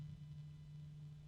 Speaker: now I can start to hear a very low hum from the fan going up in Pitch it's it is a hum interesting and that ticking is getting louder there's a resonance